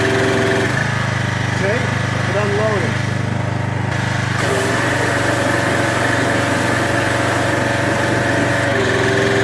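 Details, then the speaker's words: Craftsman 2700 psi pressure washer with Briggs OHV engine, after carburetor jet work and unloader cleaning, run outdoors in heavy rain: steady, even idle with no hunting or misfire, unloader cycling quietly, no leaks; normal idle. "it's idling well and you'll hear it you'll hear the unloader work"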